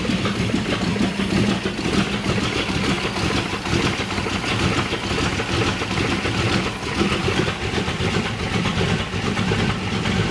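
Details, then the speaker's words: Chevrolet Malibu small-block V8 after new top end (heads not changed), carburetor being street-tuned, no air cleaner fitted: steady lumpy even rumble, no knocks or misses; starts and idles well. "okay guys she's running hella good starts up hella good Idols"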